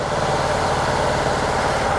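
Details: Engine running during an ignition coil test-light check, with no codes on coil number six: a lumpy, uneven idle with faltering beats, sagging as if about to stall.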